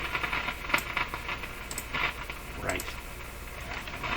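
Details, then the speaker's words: Nordmende Boheme C tube radio on bench inspection at 115 V, not picking up stations: irregular sharp crackles and pops over a faint hiss from the speaker. Dirty switches are suspected. "these radios are notorious for having dirty switches in them that misbehave"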